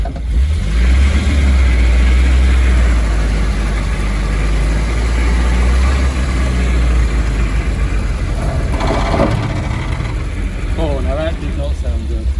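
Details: Triumph TR7 under restoration, driving: an irregular clunking of roughly four a second over the low engine drone. A look under the car found nothing, so the knocking's cause is unknown.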